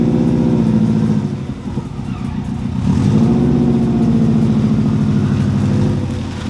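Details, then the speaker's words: 2002 Subaru WRX first start, refuelled: uneven, wavering revs that dip and climb instead of pulling cleanly; rough running attributed to an ill-fitting blow-off valve leaking air. "all right guys so it's the next day as you guys saw the suvi runs now she doesn't run perfectly because the blow off valve doesn't even fit like we said before it's messed up"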